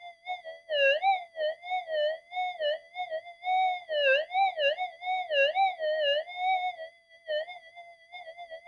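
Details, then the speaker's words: Modified Minelab GPX-4500 metal detector on normal and sensitive extra timings: wavering, warbling tone surges and dips irregularly several times a second with no steady threshold, swamped by electrical interference that it partly cancels. "the thing is even though tons of noise coming in and really swamping this out out in the field without that noise not that you can hear it because it's it's it's still there but it's getting canceled in the detector"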